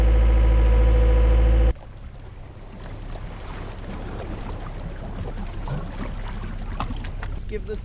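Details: XL700 waverunner two-stroke after engine reinstall: after brief music, steady low rumble with even pulse, runs smoothly; fault had been just a hose, engine removal unnecessary.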